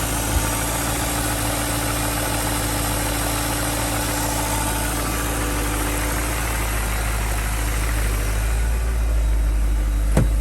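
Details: BMW M62B35 V8 at idle after VANOS units were refurbished but installed incorrectly, before reinstallation and timing correction. Steady idle with a fast, fairly regular light knock, about three per second. VANOS knock.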